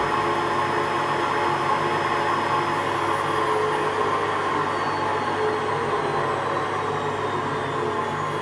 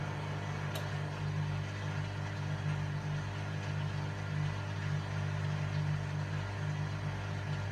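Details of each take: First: WMA40 washing machine during a test wash: a steady whooshing run with a faint uneven rumble underneath but no knocks or grinding; a bit rough but acceptable. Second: Hotpoint Aquarius Extra WMA40 washing machine on a test wash with the top off: steady low drone from the spinning drum with a loose, uneven rumble. The drum looks bent and runs rough; owner suspects the bearings are gone.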